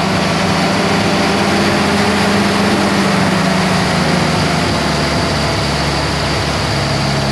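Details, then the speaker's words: 1948 Jeep CJ2A after 30+ years stored, newly fitted carburetor, not yet warm: low, uneven, wavering beat never settling, likes a little RPM; owner suspects carburetor vacuum leak and off timing, unconfirmed. Rough running. "It's definitely got some sort of vacuum leak where the timing's just really off. But it likes a little RPM."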